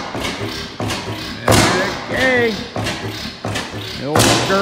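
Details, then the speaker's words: 15 hp Bessemer oil field engine from Grove City, Pennsylvania, on its first start in about 10 years, with the governor belt missing: slow, heavy firing thumps about every second with coasting between, steady and unhurried; normal hit-and-miss running. "still got some life in it [Music] some of your garden tractors don't start up that easy after getting 10 or 15 years let alone being the 12 some years old pretty pleased with that"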